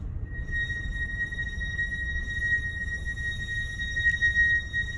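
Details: Mercedes GLC brake squeal present since ownership began November 2019: sustained piercing high-pitched steady squeal lasting about 20 seconds over a low rumble; dealer says nothing is wrong; cause not determined.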